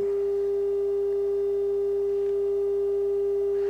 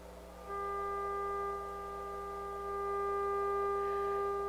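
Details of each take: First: Harman Kardon 75+ receiver after overhaul, test tone at the preamplifier output of the previously bad right channel: steady, pure mid-pitched tone with no hum, buzz or crackle; channel now clean. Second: Harman Kardon 75+ amplifier under overhaul: steady test tone with buzzy gritty distortion that grows louder on its own as it warms. A thermal resistor or faulty output transistor is suspected, not confirmed.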